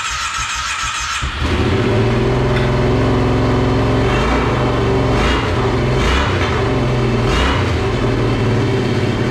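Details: Monster golf cart first start after new fuel pump, temporary gas tank: catches, runs fast and uneven, sputtering as if on one cylinder with idle racing high; idle later adjusted.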